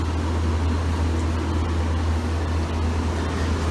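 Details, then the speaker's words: GE AEL14AVL2 window air conditioner, fan-only mode on low speed, checked for rust or screeching: smooth steady low hum with even airflow, no screech or rattle; fan motor healthy. "So that's the low speed right here. That's what I started with,"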